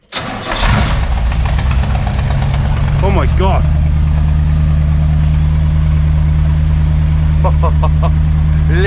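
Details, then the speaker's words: Ford Transit with V8 after exhaust manifold repair, first start: cranks briefly, catches at once, settles to steady even V8 idle with smooth deep burble, no ticking or puffing; previously sounded terrible. "Oh wow, that sounds beautiful. That sounds absolutely unreal."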